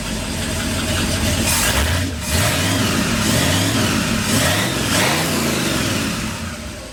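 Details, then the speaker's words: 1959 Ford F100 special delivery panel truck V8, not yet warmed up, after the idle was turned down from about 1,400 with vacuum advance adjusted: uneven, stumbling idle with throttle blips. It may need a tune-up; plug age is unknown. "it might once it warms up it might run a little better it might need a little bit of a tuneup"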